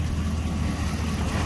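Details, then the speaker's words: 4th-gen Ram 1500 Hemi V8, warm idle, before Pace Setter headers install: low lumpy rumble with fast puffing tick from exhaust manifold leak, manifolds not fully secured at the rear, worse on driver's side; owner suspects possible bad plug. "i mean you can hear the exhaust leak but i mean the back backs of the manifolds aren't even secured down completely so it's definitely a lot worse on the driver's side here"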